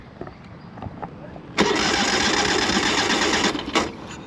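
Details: Ural twin-cylinder sidecar motorcycle catches with a rough burst for about two seconds, then cuts out; the fuel pump works, fuses and relays were checked OK, and there is no spark at the left spark plug.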